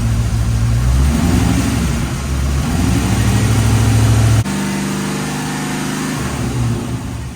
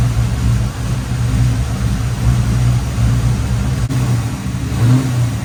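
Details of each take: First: 1989 Corvette C4 after the loose distributor was tightened and timing set, advancing to 26 degrees. Engine revs up cleanly and settles to a steady idle with no misses: normal running. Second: Long-parked 1989 Chevrolet Corvette C4 V8 with a misfire, idling with a low, uneven, lumpy beat, running rough; ignition timing checked with a timing light and found off.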